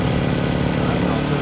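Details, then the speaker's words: Harbor Freight Predator 1400 generator after 8 months of ownership, just started cold at 12 degrees with choke on the second pull: even, steady drone with no knocks, misses or surging; super quiet, normal running. "And hopefully you can hear me, but it's a super quiet generator."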